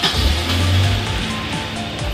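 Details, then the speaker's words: 20-valve Silvertop 4AGE Corolla, first start after repairing the ECU's aging capacitors (previously limp mode, 4000 rpm cut), cold: catches and settles into a steady, even idle around 1500 rpm, no misses; normal. "starts up just right she's idling okay that's about right for idle actually mine's always idled about, 1500 so that's good so far"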